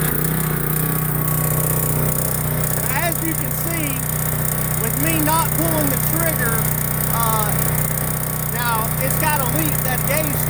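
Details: Pressure washer upgraded with a Cat pump on a Honda GX160, running off the trigger: a steady, even small-engine drone with birds in the background. Owner hoped an earlier problem was just a cold engine; it now runs smoothly. Normal running.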